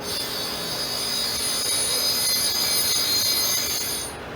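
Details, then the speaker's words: Surface grinder wheel being dressed and trued after installation and ring test: constant, even high ring across the whole pass with no chatter or pulsing, the sound of a properly dressed, true wheel. "ok now you're hearing the ring see how it's constant do you hear the constant that's what you want to hear"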